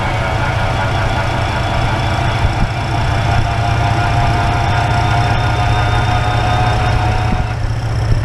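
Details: Toyota AE101 Levin after timing belt, crank and cam work, jump-started with a dead battery: steady but rough, uneven idle with a low chuffing beat; the spark plugs looked fouled.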